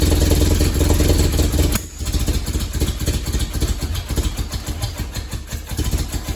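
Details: Willys CJ3B fitted with a replacement F-head engine, first firing with the amp gauge disconnected: catches after a stumble, then a loud, choppy, uneven idle chuff; loud underneath, exhaust leak suspected but not confirmed.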